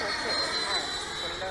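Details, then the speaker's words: HSD 90mm Viper Jet RC model upgraded to a HeadJet fan on 8S, in flight drawing about 30–38 A at about 29 V: smooth, even high-pitched fan whine with steady airflow, no roughness; healthy electric ducted fan. "nice sound to it1 m uh the head Jet fan not quite as nice a sound as CS 12s and 10 blades but it's very good and far more efficient"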